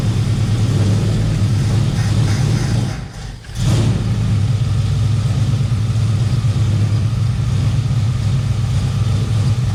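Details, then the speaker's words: 1971 Plymouth Valiant Scamp V8, first start after 16 years parked, unfinished performance build: deep, even rumble with a brief dip, then steady; no big smoke, leaks, knocking or ticking. Fuel line showed no flow, owner suspects out of fuel or pump not pulling. Sounds healthy. "yep still no bunch of smoke or nothing like that seems to sound pretty good"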